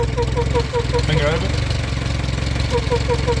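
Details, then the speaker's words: Small 7 PSI electric fuel pump on a boosted Corolla: a fast, regular chirping whirr over a steady idle, mistaken at first for compression noise. The pump is running dry and hot, wearing itself out without lubrication. "over just running dry yeah that's it yeah that's it running dry it's like wearing itself out cuz it's hot not getting need some lube"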